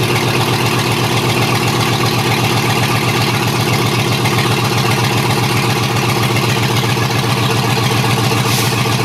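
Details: Chevy 6.0L LS V8 from a 2003 2500HD truck, running on a new standalone harness with open exhaust and no cooling system: loud, steady, even idle with a quick, regular firing pulse, no misses or knocks. Healthy; throttle works.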